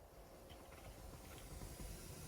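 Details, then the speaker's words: Lexus GX470 with aftermarket radio and amplifier, factory radio level knob turned almost fully up, no music playing: steady soft hiss that disappears when the knob is turned down. "do you hear that that's almost all volume you turn it down it's gonna disappear"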